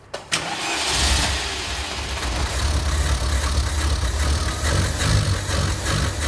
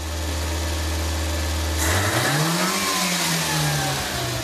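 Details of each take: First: Engine parked over two years, running before carburetor cleaning: note wavers and stumbles unevenly instead of holding a steady idle, from a gummed-up carburetor; cleaning planned with spray fed directly into the carburetor. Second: Engine sat two years (carburetor gummed), after carburetor cleaning: steady low idle then revs up cleanly and holds high speed smoothly with no coughing; gum obstruction practically eliminated, idle adjustment still to be set.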